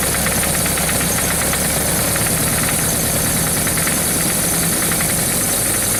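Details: Suzuki GS1100GK motorcycle: loud, busy idle with fast metallic knocking and tapping throughout; engine knock has developed, cause unknown.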